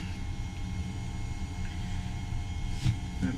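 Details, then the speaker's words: Seawater circulation pump for a 12V battery-powered marine air conditioner on a 2020 DeAntonio 34 boat, running after installation; a low, steady, quiet hum with an even drone and no knocking or rattling. "pump is running now. You can hear how quiet it is, or not hear how quiet it is."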